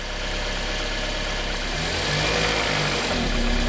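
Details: 2007 Toyota Matrix (Pontiac Vibe twin) vibrating at idle, mostly in reverse, some in drive; watched from below on ramps while shifted between gears. Steady idle with a low, uneven shudder that thickens in gear. Worn lower front and rear engine mounts are the suspected cause.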